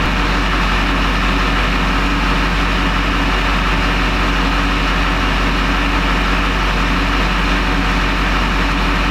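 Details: 20-year-old Duramax diesel pickup with recent new injectors, after an earlier start-and-die, glow plug code now cleared, fuel pressure bouncing 5600–5800 psi (owner unsure if in spec); deep constant even idle clatter; normal idle.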